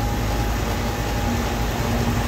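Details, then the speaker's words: Home air conditioner whose compressor would not start, now running: steady low hum with an even tone, no stalling or clicking, and the unit is cooling again. Normal compressor running. "bueno como ya saben amigos ya quedó ya ya les ya quedo aquí ya está trabajando el aire"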